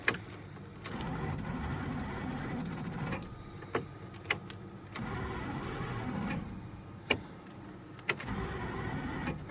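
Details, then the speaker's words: Scrapyard Plymouth Fury on jump box with heavier jumper cables: short whirring starter bursts with sharp clicks but no cranking rhythm; starter seems to engage and spin but engine does not turn, cause unconfirmed, possibly seized engine. "yeah the motor ain't turning something's going on with the starter I'm hearing this Illinois engaging and it sounds like it's spinning but I'm not the motor is not turning"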